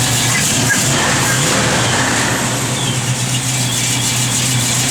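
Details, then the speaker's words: 1970 Plymouth Barracuda with 71-date-coded 340 V8, Edelbrock 4-barrel, headers, Flowmaster dual exhaust, 727 automatic: deep steady idle with a slight rhythmic lope from a mild cam, then a brief rev; engine sounds healthy. "Just a little cam to it, nothing crazy. A little rev good."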